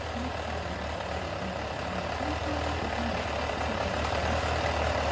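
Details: Yamaha XJR400 (RH02J) engine assembly H501E, sold as running with no abnormal noise or white smoke, compression measured: an even, steady idle with a smooth low hum and no knocks or ticks. Healthy engine.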